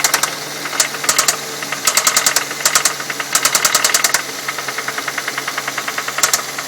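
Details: 2006 Ford Fusion 4-cylinder, 80,000 miles, at idle: sharp, fast metallic clicking in bursts, felt at one spot on the engine. The owner suspects a valve issue or a slapping timing belt; the source is not yet pinned down.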